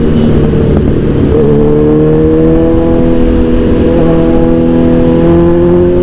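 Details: Kawasaki Z1000R after backfire-removal remap, riding: steady engine note climbing smoothly through the gears over road wind, no pops or bangs; 2nd and 3rd gear backfire eliminated.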